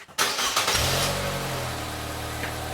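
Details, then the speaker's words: 2016 Nissan Versa Note after replacing a muffler that had rusted off at the mid-pipe flange, testing the new exhaust for leaks; brief crank, then smooth, even idle with quiet, steady exhaust and no leak puffing or ticking; normal exhaust note. "And here we're going to do a test of the new exhaust."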